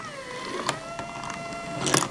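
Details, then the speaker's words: Marble run ball lift motor whine sags in pitch with light clicks as the lift hits a tight spot with no slack; the whole system tightens up and the motor slows under load. Cause not yet found. "It's got slop and when it's running you can hear the motor slowing down here. It's slowing down. Yeah, that's the tight spot."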